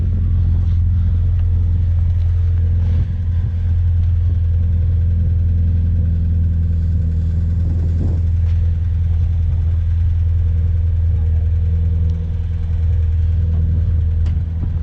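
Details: Honda D16Z6 just rebuilt after bad rings and heavy smoking: deep, even rumble holding steady with no knocks, misses or hunting and no smoke; healthy idle.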